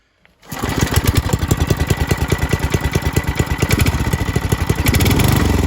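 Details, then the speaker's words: Old Briggs & Stratton 5 hp water pump engine after fitting a new carburettor, choke possibly needed: catches after a brief crank and settles into a steady, even firing beat; runs cleanly with no misses. "Everything's back together, and it seems to start and run pretty alright now. So I'll start it up for you. Might need some choke."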